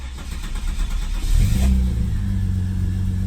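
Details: VS Commodore wagon, first start after fuel-leak repair with electrical plug, battery negative and fuel pump relay refitted: short crank, catches cleanly about 1.5 seconds in, flares briefly, then settles to a smooth steady idle; normal, healthy start.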